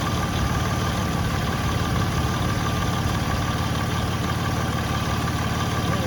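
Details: 2006 Ford Freestar 4.2L after power steering pump replacement, fluid adjusted: even steady idle with no pump groan or squeal under engine hum; power steering normal at idle.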